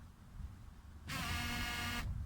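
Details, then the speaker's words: Mercedes W124 fuel pump, switched on for testing, gives a loud, steady buzzing whine for about a second when it should be nearly silent; flow is weak, barely trickling. Suspected clogged in-tank strainer, to be cleaned; finding: loud fuel pump whine from clogged strainer. "вот он сильно шумит он должен поменьше шуметь немножко и вообще не должно быть практически"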